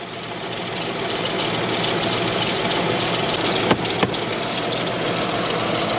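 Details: Toyota/Lexus UZ V8 (Soarer/SC400) just after starting: uneven idle, beat stumbling as not all cylinders fire; misfire, strong petrol smell noted.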